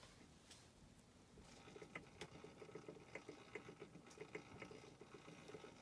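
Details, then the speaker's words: 1974 Westclox Orb (Oracle) clock after a home repair that left its plastic crystal broken: a faint, uneven patter of light ticks over a quiet whirr, about two per second. The motor is running normally. "It's a 1974 Westclox orb. You can hear it putzing away there."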